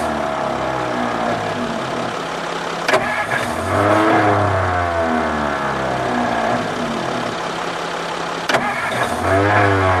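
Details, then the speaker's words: 1954 Ford Crestline Skyliner, first start attempt, no coolant in radiator: two cranking attempts each catch into a brief rising rev then fade, starter dropping out mid-crank; old starter suspected of kicking out, carburetor rebuild thought needed. "Old starter's kicking out now, bad."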